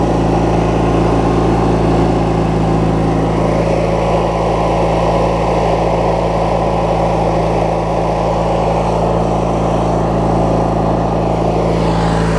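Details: Craftsman LT1000 riding mower with a swapped-in opposed-twin engine, left running after restart; steady, even low throb at idle with no misses, knocks or hunting; opposed twin running smoothly, normal healthy idle.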